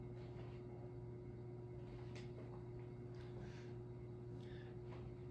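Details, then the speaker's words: 22-year-old Hampton Bay Redington III ceiling fan (2001) running: steady low buzz from worn rubber rings on the light kit glass, not the motor. "And you can probably hear that vibration, but again, it's not the motor, it's just the light kit."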